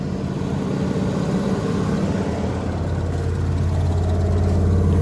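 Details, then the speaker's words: About 1983 Sportscoach RV with 454 big block and Turbo 475 transmission, sat 12 years, just started cold: deep, fast, steady V8 rumble that stays up rather than dropping back, idling high; owner suspects a missing throttle return spring or cold high idle. "I think I think she's idling a little high. I don't think it's got a throttle return spring on it."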